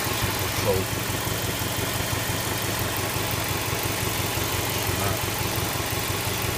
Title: Subaru Legacy B4 RSK EJ208, стук мотора